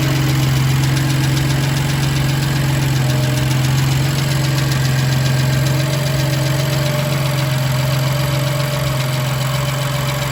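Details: BMW M2 Competition S55 engine cold startup: steady idle with light regular tick over the engine, roughly four ticks a second; engine ticking at cold start.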